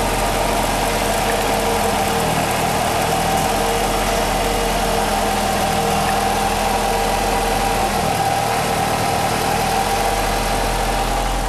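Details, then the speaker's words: Nissan X-Trail T32 facelift with CVT, code P17F0 for CVT vibration: steady droning hum with constant tone while driving at low speed, traced to a worn right wheel bearing rather than the CVT. "То есть у нас момент уже нашёл в принципе проблему тут гудит ступица правая в общем-то У нас есть шум"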